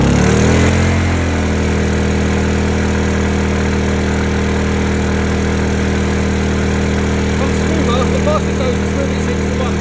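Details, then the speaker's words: Honda EU2000i (EU20i) generator back at idle after 500–1500 W load tests, following a stale-fuel rough-idle fix; steady, even, unbroken hum, no surging or misses. Normal idle. "Okay. That's idle. So, it's just one of extra test."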